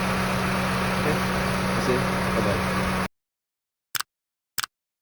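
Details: Honda Civic FD 1.8 at idle: steady, even low drone with no stumble for about three seconds before it cuts off; smooth, normal idle.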